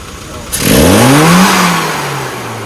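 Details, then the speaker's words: Car engine after carburettor tuning with needle changes, fuelling and timing corrected: a clean throttle blip that climbs without stumble and returns smoothly to idle; it now reads slightly rich and the response is healthy. "What that basically means is every time you punch that pedal, it's going to supply. The engine's going to deliver all the torque it possibly can, because now you've got the right fueling and the right timing"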